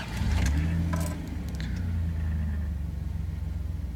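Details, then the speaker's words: 1995 Dodge Dakota idling after flashing OBD1 code 30: after a few clunks it settles into an uneven, pulsing, sputtering idle with cab vibration. Owner suspects the rough idle is from a failing EGR solenoid. "now you can see all the vibration going on in the cab you can hopefully hear it a little bit it's that kind of a rough sputtering idle and that's pretty indicative of a bad EGR solenoid"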